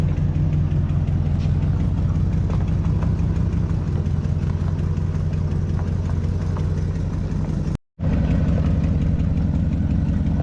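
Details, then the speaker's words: 1973 Chevrolet Chevelle Malibu V8, after running out of gas, electric fuel pump fix and fuel gauge repair, idles deep and even with a smooth, steady rumble and no misses or knocks; normal idle. "and uh seems to be running pretty good so he's going to take it for a little road test and give us the final verdict when he gets back"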